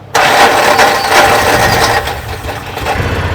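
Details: Salvage-auction Mule side-by-side, after being put back together: catches at once and settles into a steady, even idle, no misses or stumbling, no leaks; healthy.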